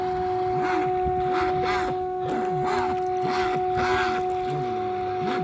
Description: RUNS WITH BROKEN CROSS JOINT (PROPELLER SHAFT CROSS JOINT)